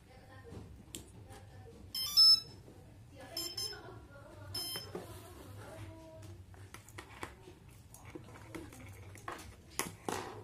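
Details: DIY RC brushless DC motor circuit, power connected with transmitter on and throttle at lowest position: run of short high electronic beeps in a quiet room; ESC arming normally, ready to run.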